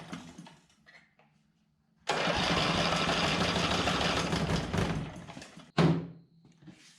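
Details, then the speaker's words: Junk generator test run after brush work: the engine turns over for about three seconds, then briefly again, churning without ever catching; cranking without starting because the engine is flooded. "now i was turning it over and i pretty much had it flooded and so i pulled the spark plug out just to check"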